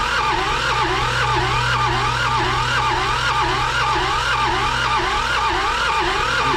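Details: John Deere 650 with two-cylinder Yanmar diesel, sitting 15+ years, injection pump rebuilt: steady cranking with a rising-and-falling whir about twice a second that never catches. Crank, no start; fuel now reaches both cylinders and there is some smoke.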